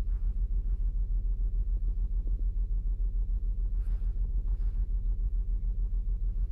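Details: 2008 Saturn Outlook at cold start, read with the Torque app: steady idle with a regular stumble about 3.5 times per second. Cylinder 1 misfires only on cold starts.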